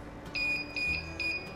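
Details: Beauty Teck Plus cold plasma device running on argon: three short high beeps about 0.4 s apart, then quiet. The device is counting three arcs within its 900 ms hold time, which is normal arc detection.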